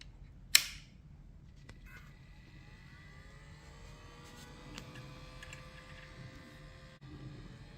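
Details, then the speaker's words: Brand-new Swann 4K 8-channel DVR opened up, powered on: click then standard 40x10 mm cooling fan spins up to steady buzzy multi-tone whine; noisy fan, later replaced and rubber-mounted with O-rings to reduce noise. "yep that's the noisy fan so it looks like a standard um 40 by 10 mil fan and here's the wire and it connects here"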